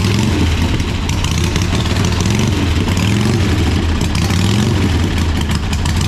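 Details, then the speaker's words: 1985 Harley-Davidson Sportster Ironhead, sat outside, just started for the first time: deep, loping V-twin rumble holding a fairly steady low beat, settling toward idle; sounds healthy. "oh all right so uh that's well that's that's pretty good and there all right"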